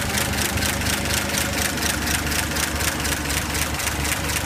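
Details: 235 inline-six after carb rebuild, new ignition coil, plugs and wires, valve cover off: lumpy uneven pulse about four beats a second, never smooths; rough idle, owner suspects leaky head gasket, none seen.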